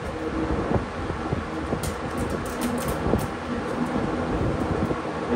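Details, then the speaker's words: Vintage Kmart-branded Lakewood box fan, probably first run in seven years, on high setting: steady even rush of air with soft low hum, no scraping or rattle; powerful, normal running. "I probably missed the spin down we'll do it again that is one powerful fan"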